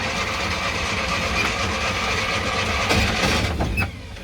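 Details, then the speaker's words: Classic Fiat 500 after electrical problems were fixed, cranked with no fuel and then with quick-start spray; steady cranking churn, now spinning correctly, with a few stray catches that never take; cranking but not starting. "okay that sounds about a million times better than it did before it's now actually spinning over correctly"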